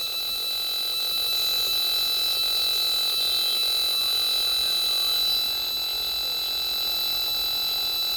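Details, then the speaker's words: Homebrew radio receiver, antenna disconnected, short speaker wire only: hiss with steady whistling tones and faint regular ticks about four a second as tuning; rotary encoder noise getting into receiver audio. "so as we tuned down here we can hear some signals but still hear that encoder noise and we go up higher it's just fully here's some"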